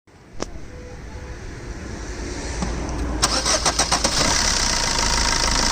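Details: Red Swift VDI diesel: brief crank, catches and settles into a steady idle with a strong hiss on top; engine noise at idle, cause not identified.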